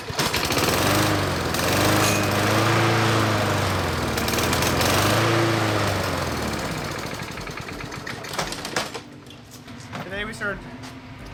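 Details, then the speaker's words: Lawn mower starting and stopping repeatedly: runs rough and throbbing, then sags and dies; stalling from a dirty carburetor, fixed by carb cleaning. "the lawn and this thing is just starting and stopping starting stopping so let's take a look at the carburetor and see if we can fix it"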